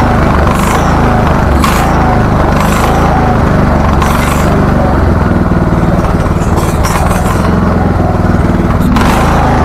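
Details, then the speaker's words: Husqvarna LTH 1438 riding mower, 13.5 engine, reported to backfire through carb and exhaust, with choke closing and spark plug not fully seated: low single-cylinder chug with hissy bursts and surging, which the mechanic attributes to a fuel-starved idle circuit; condition unknown. "well it actually doesn't run too bad I'm going to attribute that surging to an idle circuit problem meaning that the idle circuit's just not getting enough fuel to run it at full speed"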